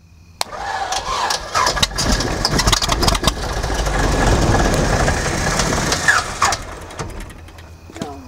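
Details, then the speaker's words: 1948 Beechcraft Bonanza V35 piston engine, abandoned about 20 years, cranks then catches in a short ragged burst that swells and fades within seconds; catches briefly but dies, before more starting fluid. "Oh, it wanted to. It wanted to."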